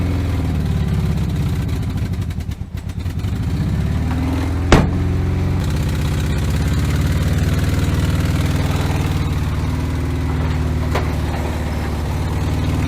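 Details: 1970 VW Bay Window bus (T2), sitting about 10 years: after pumping the accelerator, it runs with a deep, steady putter, even firing and a brief lift in revs, no knocks or misses, running smoothly.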